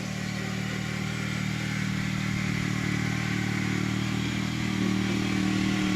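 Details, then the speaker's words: Honda liquid-cooled two-cylinder ex-tractor engine swapped into an FF/18: steady, even two-cylinder beat at constant speed, no knocks or rattles; running smoothly and healthy. "now she sounds good"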